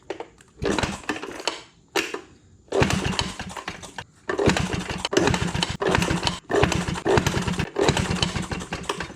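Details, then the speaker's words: Maytag 92 hit-and-miss engine: short popping bursts that die after a second or two, so it won't keep running. Fuel reaches the engine, and the owner suspects weak spark from off-center ignition points. "makes me wonder if I've lost spark"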